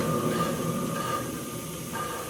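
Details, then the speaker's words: 1964 Ford Falcon hand-spun wheel gives a low hissing roar with thin whine fading as it slows: roar from worn wheel bearings, drag from brakes; bearings to be replaced. "not supposed to sound like that the dragging noise that's the brakes that roaring noise that's the bearings shouldn't be making that noise"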